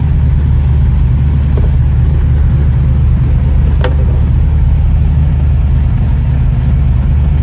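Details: 1969 Ford Mustang V8, in neutral, first start in about six months: deep, steady rumble that stays even throughout with no hesitation or misses; running smoothly.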